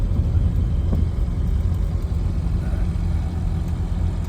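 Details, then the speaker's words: Regal 3 three-wheeler with a rebuilt 600cc engine (150 compression on all cylinders, good oil pressure) on the road: steady, even low rumble with no knocks or misses. The engine runs smoothly and sounds healthy. "I cannot tell. It feels very smooth. The engine sounds great and to me, look at this day we have the beautiful color blue."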